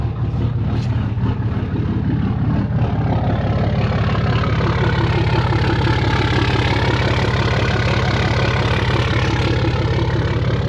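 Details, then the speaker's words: Fourth-gen Ram Longhorn Cummins diesel pickup, 187,000 miles, cold start on a nearly dead battery (11 volts, cranked slowly): it starts and settles into a deep, steady rumble of about three beats a second with no stumbling. Normal idle, now charging. "But she started. Look at this. $11 volts. Oh, buddy, I cannot believe it started."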